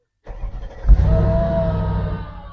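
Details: Mercedes SL55 AMG after ECU repair (corrupt data, mileage fault from fitted ECU kit) by virginising and reprogramming to immobiliser with Mercedes Star: starter cranks briefly, engine catches cleanly and settles into smooth, even idle; starts and runs normally.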